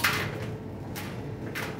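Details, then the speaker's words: Clothes dryer drum turning with low rumble broken by sharp rattling clatters about every half second; likely small pocket items caught between drum and baffles, not confirmed. "they'll get in your dryer and you'll wind up hearing sounds like this so in some cases you'll hear those rattles such as this one"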